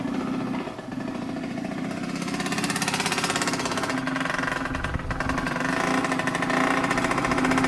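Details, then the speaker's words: 1986 Yamaha YSR 50 two-stroke on premix, just bump-started after the carburetor was reinstalled: buzzes and picks up, revs rising unevenly as it warms, but keeps firing with no knocks; sounds really good, normal running. "Sounds really good. Sounds really, really good. I did not think that was gonna start, but it did."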